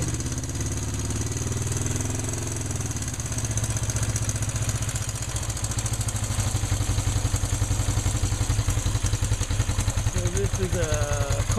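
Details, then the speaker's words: 1974 Honda CL360 twin (built September 1973), cold start on choke after top-end rebuild (valve guides, valve job, honed cylinders, new rings): catches and holds a fast, even choke idle, steady low thumping, no clatter; healthy cold start. "I guess this is a cold start turn the key on turn the gas on flip the choke up hit the starter button got it"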